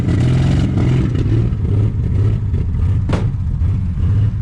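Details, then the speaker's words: 1947–49 Studebaker with supposedly rebuilt flathead six, sitting 35 years, held at high revs with 50 psi oil pressure: loud, uneven low rumble that stumbles now and then, as if not firing on all cylinders; rough running, cause unconfirmed. "Look at that. 50 pounds of oil pressure. Doesn't sound like it's hitting on all this thing."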